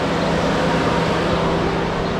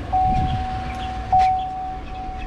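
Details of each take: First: 2015 Chevrolet Silverado 4x4 with code P0128, check engine light and temperature gauge stuck at 160 from a failed thermostat: electric cooling fans roar constantly with a steady low hum, never cycling off, as the computer keeps them on. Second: 2015 Chevrolet Silverado 4x4 after thermostat replacement for code P0128: couple of thumps then a low, even idle rumble with light ticking, no knock or misfire; codes cleared and temperature no longer stuck at 160.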